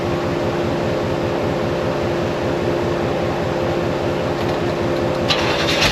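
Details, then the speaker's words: 1972 Oldsmobile 98 revived after long storage and jump-started: a rough, lumpy idle that keeps dropping pulses, an awful miss. The plugs are slightly fuel-fouled and the plug wires are out of firing order. "it still has that awful Miss but we got it back running again we can move it around if we need to but I'm going to start pulling plugs out and seeing why we have this mess"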